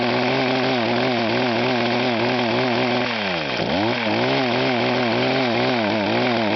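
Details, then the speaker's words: Echo HC-1500 petrol hedge trimmer with a rebuilt, leak-free carburetor: at high throttle the revs hunt up and down about three times a second, with one deeper dip. The engine is surging at high revs, and a rev limiter is suggested but unconfirmed. "can you see if you can what is it problem with this when you rev it up high is its mentioned the bets go up and down up and down"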